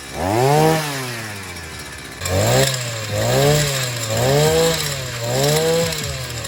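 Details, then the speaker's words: Sican 3.6 HP 52cc two-stroke outboard after maintenance (new clutch, NGK spark plug, gear oil, air filter check): repeated throttle blips picking up cleanly and dropping back without stumbling; runs healthy, clutch grabs on throttle. "seems good so the maintenance items have been taken care of now and it sounds like it's running healthy clutch is functioning as it should"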